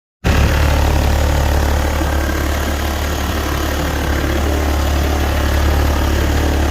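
Steady low idle with an uneven tapping about four times a second riding over the rumble; a knock at idle, cause unclear.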